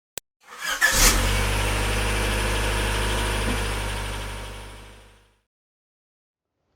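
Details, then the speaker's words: 16-year-old Jeep Patriot petrol engine cranks and fires into a loud, deep, raspy idle, louder lately on start-up, from an exhaust leak through a hole at the damaged slip joint between exhaust pipes. "Lately the exhaust pipe of my 16 years old Jeep Patriot began making more noise when I started the engine."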